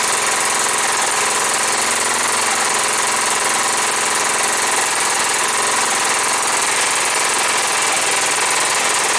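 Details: John Deere STX38, Kohler Command 13 hp engine, first start after repair, choked, gas poured in carb: runs but chatters and stumbles unevenly, won't settle into a smooth idle; owner suspects old gas.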